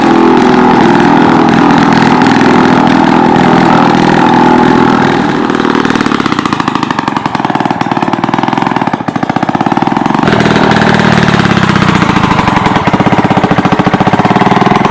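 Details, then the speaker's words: 1940s two-stroke rototiller, just revived after years unused: loud, raspy buzz held at one steady speed, never rising or falling; throttle cable broken, kill switch doesn't work, stopped by choking, very loud muffler. "there you have it she's a runner throttle cables broke can't throttle it up or down kill switch doesn't work choke her out she's just as good muffler yeah she's loud I mean loud my ears are still ringing"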